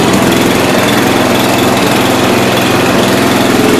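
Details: 1992 Yard King lawn tractor, just started for the first time in about seven years, cold after choking: loud small engine with uneven, stumbling beat; rough running, cause not confirmed.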